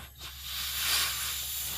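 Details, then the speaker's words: Dodge Caliber 2.0 with low idle, low power and P0300 misfire, engine off during a leak-down test: a steady airy hiss as air leaks past an intake valve that isn't sealing because of carbon on the valve seat. Cylinder one is worst. "Finally found a problem on this. It was leaking from the intake valve when I did a wet test on the cylinder."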